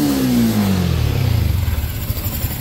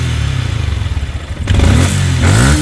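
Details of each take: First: Yamaha Sniper 155, 39,289 km, after cams and cam bearing replacement: revs drop cleanly to even quiet idle, previous top-end rattle gone; engine healthy. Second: Yamaha Sniper 155 at 39,289 km, no preventive maintenance yet, running after it cooled. Three sharp throttle blips bring metallic clatter rising with revs; mechanic suspects cam bearing, quiet after cam bearing and cam replacement: cam bearing rattle.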